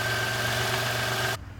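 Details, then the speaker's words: 1997 Toyota 4Runner Limited, 253K miles, after fixing intake manifold air leak that caused rough idle and P0300 codes following valve cover replacement: steady, even idle at 750 rpm, no misses; normal idle. "look at that 750 rpm it's idling just great what a difference"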